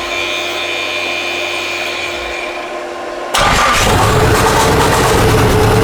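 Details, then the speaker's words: Nissan S15 being revived, after fuel injector and rail work, exhaust only to dump pipe, intercooler plumbing partly off: catches after cranking and runs loud, uneven and lumpy; not running on all four cylinders, dead cylinder misfire. "But yeah, I see what Alex means. It's not running too good."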